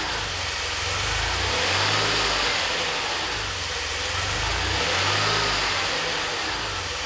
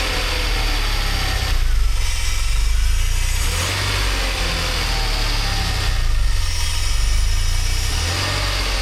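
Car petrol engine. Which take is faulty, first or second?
first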